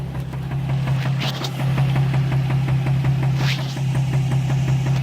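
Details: Nissan 350Z idling with a steady, hard rod knock repeating several times a second from a spun bearing; it started as a minor tick and grew to a full-blown knock.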